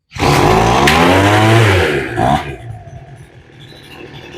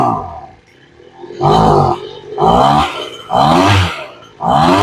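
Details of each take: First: Two-stroke blower with freshly rebuilt carburettor, low-speed screw opened a further quarter turn: quick pull fires into a loud raspy roar then drops back; normal start, ready for mixture adjustment. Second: Two-stroke blower with freshly rebuilt carburettor during tuning, high-speed screw (affects open throttle) set too lean: four rev bursts where pitch sags and wavers instead of climbing; bogging on throttle, lean high-speed mixture.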